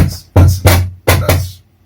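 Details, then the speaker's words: Behringer DR110DSP powered speaker, after the owner had worked on it: four loud deep thumping pops in under two seconds as the volume knob is turned from 0 dB, a temperamental noisy volume potentiometer. "that's volume pop one volume part two oh just on the end there and this is after i've worked on them"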